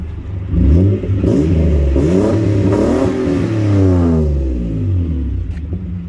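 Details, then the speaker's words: Nissan 200SX S12 after new Walbro 255 fuel pump, with new injectors and fuel filter: engine revs up and falls back cleanly, smooth with no stumble, idle less missy than before; normal revving. "Idling sounds good. Not as missy as it used to be."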